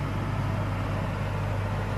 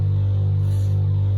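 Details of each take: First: Warranty-replacement caravan air-conditioning unit on auto: mainly soft, constant fan rush with a faint compressor hum in the background and no rattles or pulsing. Normal running, nothing like the old unit, and inaudible outside. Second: Caravan Truma air-conditioning unit, before its warranty replacement: a deep hum that throbs and pulses about four times a second instead of running smoothly. The annoying pulsing could be heard outside, and people asked for it to be turned off.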